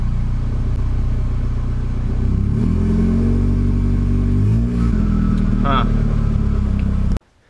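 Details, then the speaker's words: Nissan 240SX S14 with a turbocharged KA24DET, first startup after fitting a blow-off valve, 550cc injectors, AEM wideband and ECU; it is suspected to run very rich. Lumpy, uneven idle, and the revs sag and nearly die when throttle is blipped. "so that seems good [Music] soon as I give it any gas then it just dropping"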